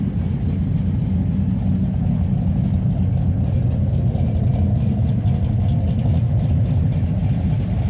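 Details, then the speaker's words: V8 after an engine rebuild with a new cam and lifters: a deep, steady, lopey idle with an even pulse and no ticking or knocking; much quieter under the hood than before. "Man, it is way quieter under the hood now. Actually like like it. Actually approve these lifters so far and I approve the cam. It just sounds good."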